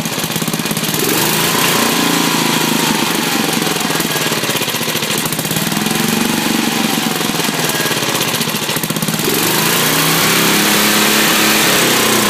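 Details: Briggs 10hp single-cylinder, governor reconnected and working: with choke off it races, pitch surging up and down in waves, never settling to idle; carburetor suspected worn or way out of adjustment.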